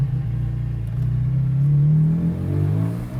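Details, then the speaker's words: Stock operation with factory valved exhaust after changes to fix a buzzy drone: engine pulls up smoothly with a clean, even note and no buzzing; the exhaust vibration seems fixed. Normal exhaust, no vibration. "i think it's sounding a little bit different it's not as like there's no we don't have the vibration"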